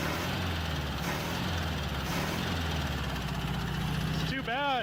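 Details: Abandoned 1967 VW Beetle engine after the valve train was corrected: steady low idle with a rhythmic knock pulsing through the carburetor, on cylinder one. Otherwise seems healthy; knock cause not confirmed.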